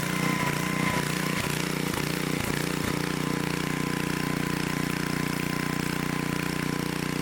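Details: 1972 Dayton 3,000 W electric-start generator, unused for 30 years, started after reassembly for an RPM check: a few rough beats at first, then a smooth, even, quick-firing run with a steady tone, sounding healthy.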